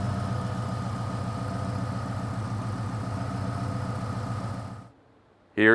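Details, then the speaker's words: 2000 Ford Explorer XLT 5.0 V8 with Meziere WP374 electric water pump, after replacing idler assembly with cracked retainer plate: steady smooth idle, no rubbing, knocking or squeal from pump area; faint metallic rattle is from the faulty AC compressor. "but the sound that I was getting coming from from the water pump location down here is gone so that issue is resolved"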